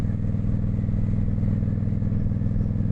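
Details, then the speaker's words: 1995 Honda VT1100 Shadow ACE V-twin cruiser, recently run after sitting for a few years, on its first proper ride. Deep throbbing rumble pulsing about twice a second; the exhaust is ridiculously loud and boomy. "Oh, this exhaust. It would drive me nuts."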